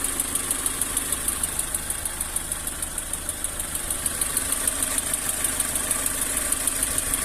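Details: Lada Granta 11182 engine, 13,900 km, warm: sharp regular ticking at idle, about three per second, comes and goes; stethoscope places it strongly at cylinder 2, slightly 4 near spark plugs; disconnecting plugs changes nothing; source unknown.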